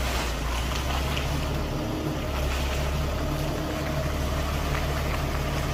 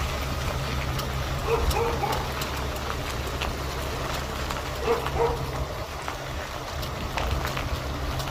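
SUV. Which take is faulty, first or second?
second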